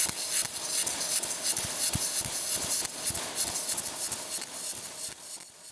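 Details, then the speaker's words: MIG arc with voltage too high for the wire speed: a harsh, sharp, angry sputter with irregular pops, like chicken frying too hot. "If your machine sounds like this, that's a sharp angry sputter. Like frying chicken to hot. That means your voltage is high. for your W speed is the low."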